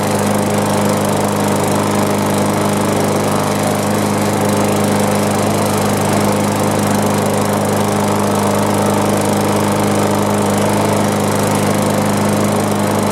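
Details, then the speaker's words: Mower with 500E-type engine and straightened bent crankshaft: steady high-pitched drone well above normal mowing speed, no knocks or rattles after tightening the muffler heat shield; over-revving, owner plans to adjust the throttle cable/governor linkage. "And it seemed like it was revving up pretty high, so I think I'll get under here and usually there's a little adjustment where that little throttle cable and everything that's hooked up to the gover"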